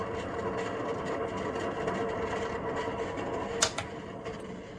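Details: Kitchen sirocco-type range hood fan over 20 years old, run continuously against condensation, sometimes stops; steady fan rush with faint hum and uneven rough rattling, noise varies by day (booming or metallic); dry or worn motor bearing suspected, motor oiled as fix.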